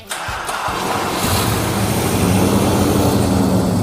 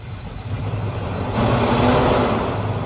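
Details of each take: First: 1968 Chrysler Town and Country wagon, 440ci big-block V8 at 0 timing, right after reconnecting the brake booster hose that caused a vacuum leak and miss: settles into an even, deep, smooth idle. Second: 1968 Chrysler Town and Country wagon, 440ci big-block V8, running after the fuel system was redone with a used pump: uneven loping idle with a brief rev rise; still misfiring, a vacuum leak guessed, timing at 0.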